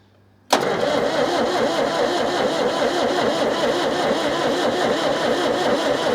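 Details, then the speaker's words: Perkins diesel in Chamberlain tractor sitting 26 years, freed from stuck: steady even cranking for several seconds without firing while bleeding injectors, fuel up to the pump but air in injector lines; crank no start, radiator slightly leaking. "first thing I'm going to do is ble the injectors we've got fuel up to the uh up to the pump so it shouldn't take much if the pump's working to get it up to the injectors"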